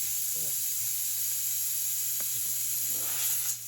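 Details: Tire with a large hole left by a rock, between plugging attempts: thin steady high hiss of air escaping, with some handling noise; leak likely through the open puncture.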